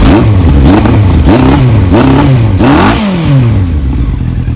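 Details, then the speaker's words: Yamaha R1, engine partly warmed to about 131 degrees: revs climb in short blips, sagging and stumbling instead of pulling cleanly; hesitation on throttle, owner suspects dirty carbs, not yet confirmed. "so the carbs are definitely dirty, as you can hear."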